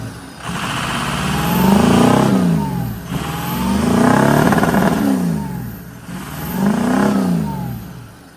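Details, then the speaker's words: Engine revved three times after burnout runs sounds flat and laboring near the top, stumbling more the harder it's pushed, with an exhaust leak also noted; a fuel pressure issue is suspected, not confirmed. "But it's also running kind of crappy. And it almost seems like maybe we have a fuel pressure issue cuz the more you get into it, it starts to run worse"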